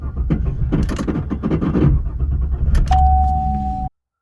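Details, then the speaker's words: 2014 GMC Sierra 1500 makes a rapid, uneven clattering click and clunk at key-on with no cranking though the battery tested good; the starter is failing, intermittent at first and worsening over weeks, and is replaced. "You turn the key, it makes this horrifically clicking noise that sounds like this."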